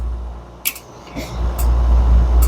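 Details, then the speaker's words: FBD Slurpee machine with two barrels down, during repair with beater running to circulate CO2 through the barrel before freeze-down: low motor drone with sharp clicks every half second to second as CO2 solenoid opens and closes; normal cycling. "shutting on and shutting off. You can see the CO2 opening and closing."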